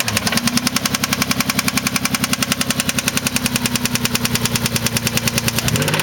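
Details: 1993 Mitsubishi 3000GT SL with 109k miles at idle: a sharp, loud, metallic knock about three or four times a second. Heavy bottom-end knock, with a spun bearing suspected but not confirmed.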